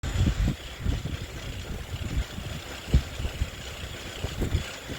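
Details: Zwift Ride bike with KICKR CORE trainer, strapped to a rocker plate, pedalled under load; sharp clicks and low thumps break through the steady whir, an apparently known issue for which a replacement unit was received.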